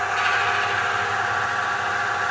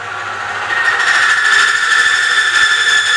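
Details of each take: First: Metabond friction test, third phase (roller on block in oil treated with Metabond): smooth steady hiss with no squeal or scraping, and the ammeter shows no rise in load; dry it seized at 45 A, plain oil at 65 A. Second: Friction test rig run dry without oil, before Metabond treatment: loud harsh squeal holding under rising load, ammeter jumping off scale, then abrupt cutoff as roller seizes at 5.5 units; dry friction seizure, roller worn.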